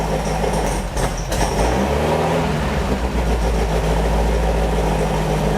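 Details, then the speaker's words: Beck 550 Spyder replica, VW-type flat-four with Dellorto carbs, after a jet cleaning at startup: a rough, loping idle with uneven pulses; all four cylinders now seem to fire but do not pull equally, still out of balance. "I think the right carburetor is very much out of adjustment too"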